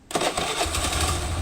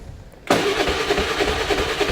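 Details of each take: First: Motorcycle that was hard or impossible to start in the morning, after new spark plug fitted: short starter whirr, then fires on first press and holds a quick even idle. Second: Motorcycle over ten years old, original spark plug never changed, hard morning starts, no-start after sitting ~23 days: starter whirs steadily, about three pulses a second, no firing; cranks but won't start, carbon-fouled spark plug.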